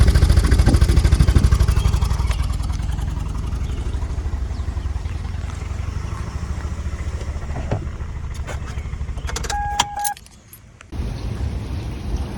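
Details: Car running an oil-burning fuel experiment began misfiring after driving through water, possibly down to one cylinder; uneven lumpy idle stumbling about three times a second that never settles, engine misfiring.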